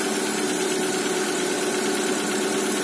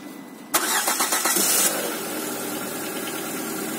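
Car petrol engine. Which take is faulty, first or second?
second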